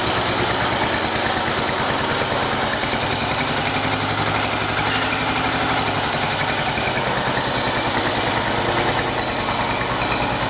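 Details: 1980 John Deere 212 engine after crank seal replacement, cold day: steady, even clatter at constant speed, no misses or knocks; normal running.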